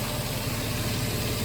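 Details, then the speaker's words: 2006 Nissan Xterra idling after crank-no-start repair: steady, even low idle hum, no misses or knocks, running smoothly; no check engine or warning lights. "we have a working radio we have a running car no check engine light no warning lights everything seems to be working perfectly"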